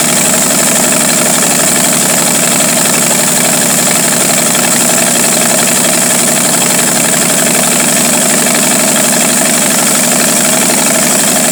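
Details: 1949 Studebaker 2R5 truck, Commander six engine that won't stay running unless fully choked; uneven idle of about four pulses a second with a hiss; rough idle from vacuum leak.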